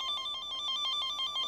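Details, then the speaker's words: Peugeot 107 wiring test, tracer signal injected into the wire, probe at the starting end: loud, steady high beeping pulses about six times a second; this section of wire is intact. "that put puts a signal down this wire and we can then track it with this little bit of Kit so we start off down that end you can hear how loud that"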